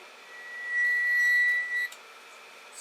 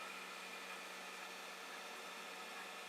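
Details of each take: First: Creality Ender 5 Plus 3D printer with new threaded Z lead screws and brass nuts, greased and oiled. A thin, steady squeak of about a second while the bed lowers toward home, from the nut rubbing the rod, before a Delrin nut fix: lead screw nut squeak. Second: Creality Ender 5 Plus 3D printer bed lowering on its Z lead screw after fitting a Delrin POM TR8x4 nut: soft, steady motor hum with faint whir, no squeak or chatter; smooth, quiet Z axis.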